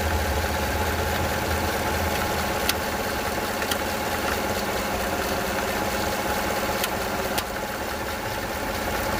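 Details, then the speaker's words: Gen 5 LT engine, fairly new motor with about a thousand miles: steady idle with occasional sharp knocks and stumbles, engine physically jerks; absent at higher rpm; owner suspects timing chain or a broken tensioner. "When you hear that noise, I can physically feel the engine jerking. My guess it could be the timing chain or the tensioner. It does not do it at higher RPM."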